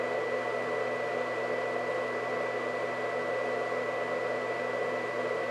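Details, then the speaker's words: White Xbox 360, believed Jasper revision, fans at max speed: loud steady whoosh with thin high whine on top; cooling fans simply very loud at full speed. "at's going on there so this is max fan speed for this thing it it is quite loud and i do admit that when i played it back in the day it was probably about five feet away from me next to the tv of course so maybe it didn't sound as loud being five feet away but being next to this thing right now is just it's ridiculous"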